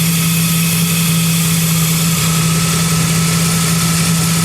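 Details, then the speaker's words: Engine idling after serpentine belt squeal fix, belt treated with chain wax, no fan running; steady even idle, smooth hum, no chirp or squeal from the accessory drive, quiet normal idle. "we don't have a fan on it that's how quiet it is see how quiet it is why it felt nice and quiet"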